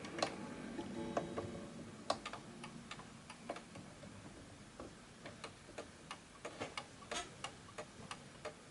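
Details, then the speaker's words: 1920s 8-day Napoleon hat antique mantle clock after being pushed slightly left to find the middle. Soft ticks roughly three per second with tick and tock evenly spaced: the clock is running in beat. "So as you can hear right now, and hopefully you'll be able to see it with this, that the tick and the tock are evenly spaced."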